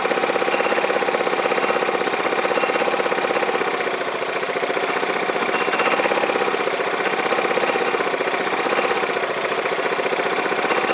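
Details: Yamaha Majesty scooter idling on the lift with the parking brake on: a rapid, uneven metallic clatter of about four knocks a second over the idle. The owner hears it from the CVT clutch, does not know whether it is normal, and plans to inspect the clutch and shaft.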